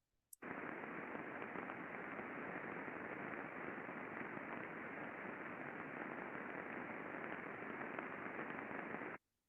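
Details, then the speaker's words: Roll mill bearing heard through an ultrasound probe after greasing: steady friction hiss with faint irregular impact ticks, reduced from before greasing but still present; inherent bearing defect. "you can still see by looking at the waveform that there is indication of impacts and we can hear the friction as well it's still there"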